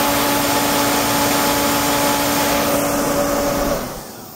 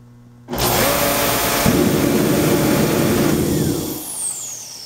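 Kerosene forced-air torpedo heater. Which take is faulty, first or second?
first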